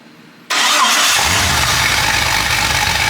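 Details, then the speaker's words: Truck engine pulled and run on a test stand without torque converter or flex plate, kept short so it won't warm up: heavy, uneven, lumpy idle that jumps to 60 and settles, no black smoke; rough idle persists. "oh jumps up to 60 and it comes back down TR you so that's spot on still a little heavy in the idle but no black smooth not black smoking"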